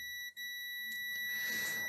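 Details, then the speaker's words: Multimeter continuity test on a vintage Siera 5521 / Philips 22RH521 amplifier, probing from a power-supply capacitor positive to the output coil: single steady high-pitched beep for over a second and a half, circuit connected. "So if I connect here my multimeter to the positive of that capacitor, I should have continuity right over there all the way,"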